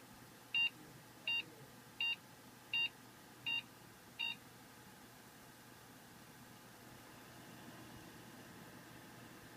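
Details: Dell XPS, about 4 years old, Intel i7, beeps evenly after crashing mid-race and being powered off: six short beeps, a six-second pause, then about seven more; meaning unknown, overheating doubted.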